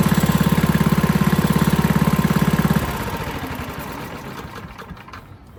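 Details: Western pavement roller with 8hp Tecumseh engine, after replacing varnished carburetor with new one and gasket: even, steady single-cylinder chugging about three and a half beats a second, then dies away; normal running.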